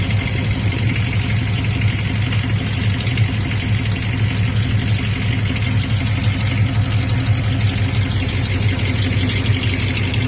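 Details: Dodge 5.9 Magnum 360 V8 with flex plate and torque converter already replaced: deep rough idle with loose uneven rattle about three a second, only when hot at idle, quiet at cold idle, goes away with acceleration; source not pinned down.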